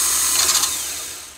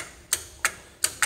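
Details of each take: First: Honda CR-V starter removed for a no-crank, no-start problem and bench tested with a remote starter button: a quick high whir spinning up freely and winding down smoothly with no grinding, so the starter is healthy. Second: Second starter bench-tested with a starter button, battery at 12.8 V: five sharp dry solenoid clicks with no motor spin, so no crank. The solenoid is likely corroded or rusted inside; starter judged bad.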